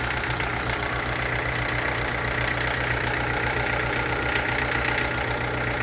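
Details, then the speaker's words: Chevrolet Corsa sedan (Montana front) at idle, faint rapid ticking about four per second riding over the engine; owner asks what the engine noise could be, cause unclear. "Pode ser esse barulho no motor."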